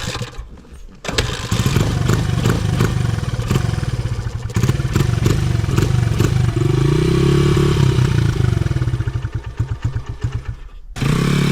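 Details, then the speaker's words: 2011 Honda CRF100 dirt bike, carburetor not yet tuned: engine runs only on repeated throttle blips, revs sagging and stumbling between, won't settle to steady idle; will not hold idle, carb tuning needed. "You're probably going to have to rev it a little bit to keep it alive."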